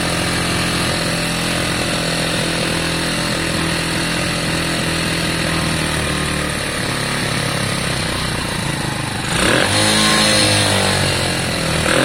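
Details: Lexmoto Valiant 125 converted from fuel injection to carburettor, uncertain carb, choke coming off; harsh single revving, revs hanging and slow to drop, uneven running; carb still being adjusted.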